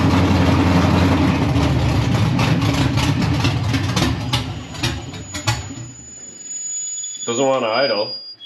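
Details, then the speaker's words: Freshly installed LSX V8 in Chevelle, cold start, carburetor without choke: runs lumpy and uneven, smokes slightly, then falters and dies instead of idling; previously idled only once warmed up. "Smokes a little bit. Doesn't want to idle, but sounds good."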